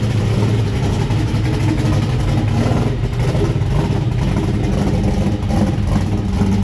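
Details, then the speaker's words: 1969 Camaro V8 cold start after sitting a while, on racing oil: deep, steady idle with an even beat and no knocks, ticks or misses; running healthy and smooth. "let's listen how smooth it is with that driven race noil in there it's going to take it a second it hasn't run in a while"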